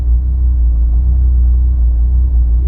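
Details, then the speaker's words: Honda S2000 with new spark plugs, warm after idling: low uneven idle rumble with irregular stumble; free revs backfired with pops, but fault seems limited to idle. "otra vez y aceleró en vacío esta vez ahí lo tenemos guay no sé parece que solo es el ralentí lo que falla"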